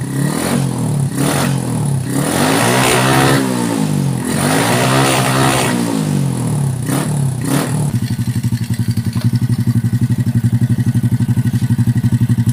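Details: Honda Supra X125/Kharisma small single with low power, after adjusting a timing mark position: revs up and falls back cleanly a few times, then settles into steady, even idle pulse; running properly.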